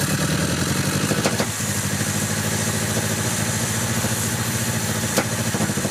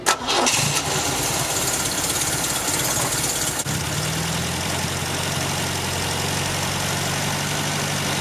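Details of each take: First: 1974 MGB with a rebuilt engine, after carburetor work: uneven lumpy idle with two sharp exhaust pops; owner suspects a destroyed number one cylinder spark plug wire causing the misfire and top-end breakup; exhaust backfire. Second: 1974 MGB with a fully rebuilt engine, after new spark plug wires and with the air filter fitted: a short start-up settles into a steady, even low idle with no misses or knocks. It runs almost perfectly, not yet tested under load.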